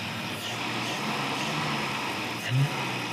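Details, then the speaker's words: 1955 Pontiac Chieftain pulled from a junkyard, after bolting on a carburettor with accelerator pump: even, steady engine note and smooth idle, sounds much better; temp gauge mid, charging, oil pressure mid. "Sounds so much better. Yeah."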